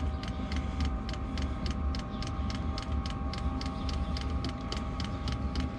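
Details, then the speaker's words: Diesel heater fuel dosing pump mounted on van body, heater just restarted: sharp regular ticks about three per second over steady fan hum; normal pump ticking, before isolating the pump to quiet it. "Alright guys, you can hear that ticking away. Just started the diesel heater back up."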